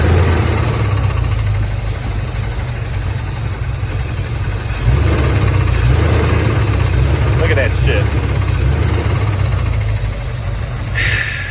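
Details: 1983 Chevy Silverado V8, about 38,000 miles put on it by owner: rough heavy idle with an uneven low knock about three times a second, first suspected fuel pump rod (pump was leaking gas); cracked flexplate knock.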